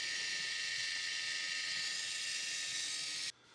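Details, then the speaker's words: RC crawler driveline with a universal joint turned to a steering angle: a light, high whir with a wah-wah pulse. Non-uniform rotation speeds up and slows four times per revolution, worsening with more angle. "hopefully you can hear that wah wah wah wah wah wah that's the non-uniform rotation fast low fast low four times per Revolution at the"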